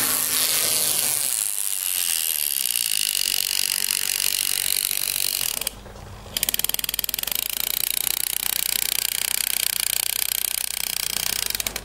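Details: TT-scale model steam locomotive running with a dry, ratchet-like rattle of fast, uneven clicks from its drive mechanism; cause unknown to the owner.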